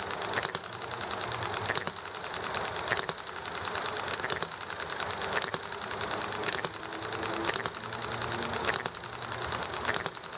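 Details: Enjomor small hit-and-miss engine running nicely: sharp firing pops roughly once a second, each followed by quiet coasting strokes, over heavy background clatter, chatting and highway noise; normal hit-and-miss running.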